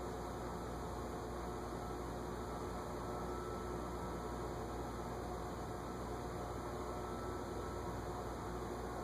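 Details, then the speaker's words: Early-1980s Envirofan Gold Line 36" industrial ceiling fan, model 136F-7, on a solid-state control at lowest speed: a faint steady motor buzz and hiss, starting to turn at 0.12 A. Noisy from the start and fails the fluorescent light test. "I hear it buzzing, but I don't see it moving. Oh, 0.12, 0.12 gets us started. Yeah, it's noisy already."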